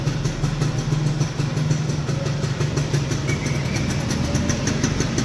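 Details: 2002 Yamaha F1ZR two-stroke just restored to original, idling after completion: fast, even burble with a steady beat and no misses or rattles; normal idle.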